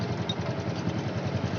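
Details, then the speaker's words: Honda Revo Fit after cam chain replacement, tensioner primed with oil so the bleed bolt needn't be opened: steady low putter at idle, even beat, no ticking; engine runs clean, normal. "tapi talak karena ini sudah nggak bunyi lagi sudah saya pancing menggunakan oli tadi jadi nggak usah dibuka lagi tinggal di kencangin ya"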